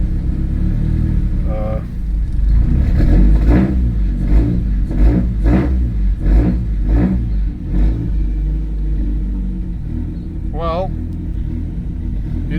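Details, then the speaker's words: Big-turbo Audi A4 B7 after drive-by-wire throttle install and ECU calibration: engine revs rise and fall smoothly in repeated throttle blips following the pedal; DBW working, normal revving. "My drive-by-wire is working. There you can check the revs as well. You can even hear it."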